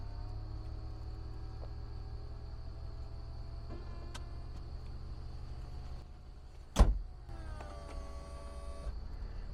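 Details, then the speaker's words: 2004 BMW Z4 (E85) roadster: the convertible top motor raises the roof with a steady electric hum of constant pitch and a firm latch clunk, then a brief second run; the top works normally and latches properly. "we can hear the motor there doing its thing and it all latch properly"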